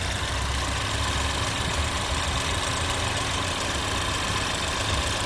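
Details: 2011 Chevrolet Equinox idling after a throttle body cleaning: even, steady, smooth low hum with no misses, stumbles or knocks; it now runs a lot smoother and shows no check engine light.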